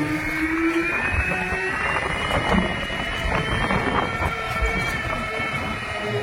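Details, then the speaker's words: Vida VX2 Plus electric scooter while riding: thin high whine rising with speed over wind and road noise, coming from the motor area; rider likens it to chain-drive sound but quieter, and the source is unconfirmed. "ఆ బండ్లు నడిపినప్పుడు motor దగ్గర నుంచి ఎటువంటి sound అయితే రాలేదు. But ఏమంటే ఈ వీదా VX2 series నడుపుతున్నా కదా, ఇక్కడ సౌండ్ అయితే వస్తుంది అనమాట."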